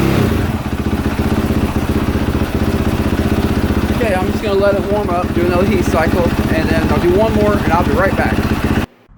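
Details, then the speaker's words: 2022 KTM 450 SXF after transmission repair (5th gear had failed), on stand during heat cycle, run through gears: steady single-cylinder beat running smoothly while shifting, no clunks, grinding or whine; gearbox healthy. "okay just doing a little test ride see if all five gears work"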